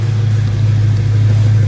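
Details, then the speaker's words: Dodge Hellcat that had a rough idle without codes, after teardown and repair and jump-started: a deep, steady, even engine note with no stumble, miss or shaking. The engine sounds healthy. "well she's not shaking so I think we're good"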